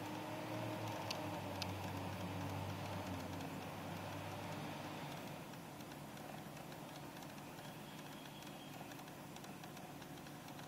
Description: Clicking sound from the passenger foot well of our 2004 Toyota Sienna. Has something to do with the air conditioning they say.